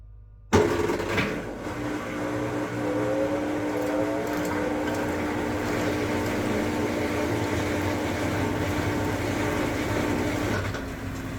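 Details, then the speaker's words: Maytag MVWP575GW commercial washer in the service menu after motor, belt, drive clutch pulley, actuator and control board replacement; draining and spinning with a steady, smooth whir and no clicking or buzzing, which is normal operation. "know everything else it does perfectly fine it will drain and then spin"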